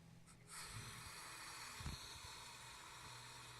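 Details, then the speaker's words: Audi B7 S4 intake manifold changeover valve actuator, vacuum drawn by mouth on its tube: steady airy hiss, plunger fails to retract or return; leaking diaphragm causing vacuum leak. "can hear it hissing it's just now I push the plunger in it's not even pushing it out anymore so this is definitely busted"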